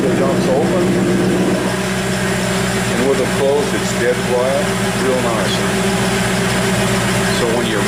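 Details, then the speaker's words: 1934 Ford pickup hot rod V8 at idle, electric exhaust dumps fitted: deep, lumpy idle holding steady and even with no knocks, misses or hunting; sounds healthy. "Sounds healthy."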